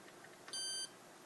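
A single steady high beep, about a third of a second long, at power-up, showing the computer fails to start; the cause is unknown.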